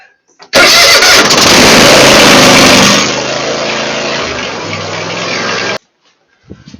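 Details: Troy-Bilt mower Kohler V-twin after throttle cable adjustment so choke closes fully, curing long cranking: brief crank, fires right up and settles into an even steady run before shutoff; prompt healthy start.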